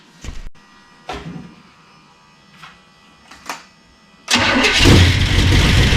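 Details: Burned-up rat rod "Doje'llac" with freshly done carburetors, first start after the fire; good oil pressure built, fuel poured in since fuel pump not pumping; short cranking bursts, then catches into a loud strong run; normal running.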